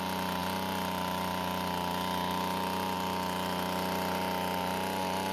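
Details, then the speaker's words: Two-stroke blower after fixing its leaking gas tank by replacing the fuel and return lines to the carburetor: steady, even drone with constant pitch and no surging or stumbling, running normally. "finally let's put some fuel into the tank and start it up and check for leaks or any running problems"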